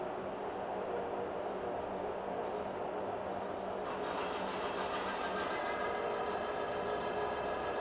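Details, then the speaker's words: Friction test rig demonstrating Mecacyl hyper-lubricant with cleaned roller and fresh ball surface: quiet, steady whirr with even rhythm and no growl at start-up; normal running. "on s'aperçoit tout de suite qu'à la mise en route on n pas ce ce grognement forou"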